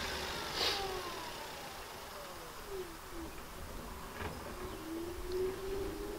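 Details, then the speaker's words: Simple electric motor on a 72-volt, 800-amp, 144-volt-rated motor speed controller under beta test with the field shunted; faint, clean whine gliding smoothly down in pitch with light clicks as it spins up freely with good power: normal motor run. "motor's running great that sucker just spin right up he's got some good power too"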